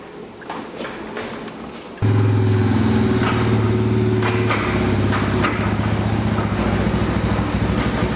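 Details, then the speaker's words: Honda Fourtrax TRX300 jacked up, in neutral, rear end turned backwards by hand: uneven clatter of loose pieces rattling inside, about four knocks a second; pinion gear bearings failed. "backwards you can hear a little bit of stuff rattling around inside there though"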